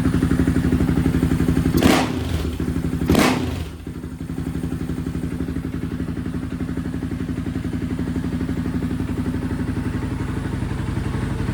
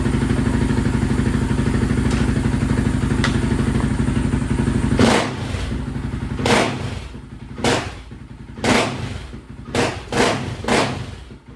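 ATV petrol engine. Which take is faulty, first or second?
second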